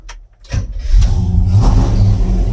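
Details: Chevy C10 classic truck V8 after it was blown up; low, heavy churning as it cranks with an uneven rumble but never catches, a crank no-start with cause unknown.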